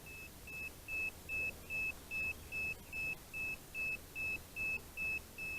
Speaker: and never know when the remotes gonna be beeping giving you that error basically it's calibration error that constant loud beeping